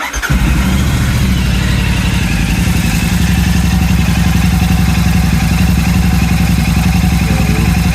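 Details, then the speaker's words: Royal Enfield Super Meteor 650 twin just after fitting a DNA high-performance air filter: starts cleanly and settles into a steady, deep, even idle thump with no misses or mechanical noises; sound noted as a bit deeper; healthy. "So I've had that idling now for about 10-12 minutes like suggested by people on the internet. While it's been running, you can tell that the sound is a bit deeper"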